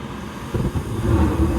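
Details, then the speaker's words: Evcon gas furnace installed February 2020, startup sequence: inducer motor, igniter, gas valve, then quiet hum turns into sudden low roar as burners light and settle into steady rumble; normal burner ignition before blower starts. "ignition as you can hear the burners are on right now"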